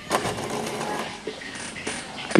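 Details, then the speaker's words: Epson L120 printer after resetter fix for continuous blinking (value was above maximum allowed): brief mechanical clicks and short carriage whirs at power-on, normal startup, lights no longer blinking, printer ready to work. "you can hear this mechanic uh sound this mean the printer working again okay now not blinking again this mean that the printer ready to working again"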